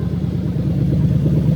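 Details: Lexus SC430 2001-2005 3UZ-FE VVT-i V8 fitted with an adapted engine harness in a left-hand-drive IS200, just started with coolant slightly above cold: even, steady low rumble with no knocks or ticks as the revs settle; normal healthy idle.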